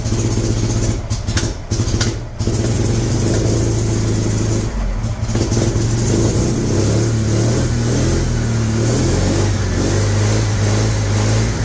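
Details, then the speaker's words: 1975 MGB running off a five-gallon gas can: uneven, stumbling run with dips in first seconds, then lumpy idle; owner suspects wrong firing order or cap on backwards; misfire. "although I do not think the firing orders may be necessarily correct at the moment maybe I put the cap on backwards"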